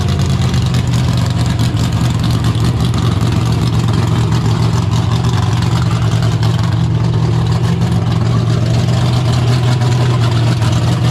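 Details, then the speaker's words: 1972 AMC Javelin, motor long unrun, started in park: deep, steady, even V8 idle with no misses or knocks; good oil pressure, no smoke, normal idle. "But it fires right up, like, easy. I mean, that sounded great."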